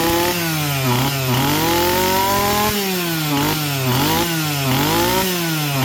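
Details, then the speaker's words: Stihl MS260 chainsaw with a lot of running time, revving up and down: loose metallic rattle under the engine note that rises with speed; worn piston skirt, piston slap, probably okay for light use. "Well, that rattle I thought I heard before, got a worn piston skirt."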